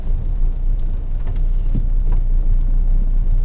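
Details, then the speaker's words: 1974 Valiant after a hard cold start following months of sitting in freezing weather, now warming up and blowing a little smoke: deep, steady idle rumble with no knocks or ticks; settling into a normal idle. "this car is pretty like once it's happy it's it's pretty good at settling"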